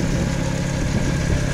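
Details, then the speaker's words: VW Gol quadrado with a petrol CHT engine, after fine-tuning the idle mixture and adjustment screw: a low, steady burble with even firing and no misses or knocks. Idle described as perfectly stable; starts first time. Normal idle. "ó macha lenta zerada galera Ó Impecável né muito bom cara deu na partida o carro já funciona é super econômico"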